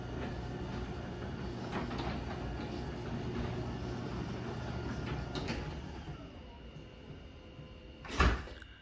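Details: LiftMaster 8355 (Torque Master replaced with extension springs) and 8550 doors run down together; smooth even rumble, no grinding or jerks, then one firm thud on closing; normal operation.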